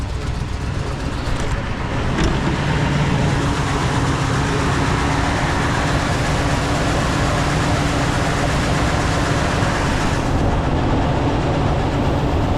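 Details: 2015 Ford F-350 6.2 V8 that suddenly ran rough while not towing, no odd noise: uneven, lumpy idle with stumbling beat breaking rhythm; bad misfire, a dead cylinder from a broken valve spring.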